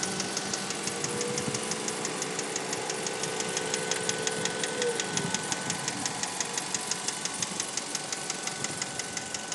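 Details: 2004 Mazda3 Hatch Sport automatic: fast light ticking about three per second at idle from the passenger side, valve-like, absent cold and appearing as the engine warms, louder in manual mode; persists after dealer replaced the timing chain.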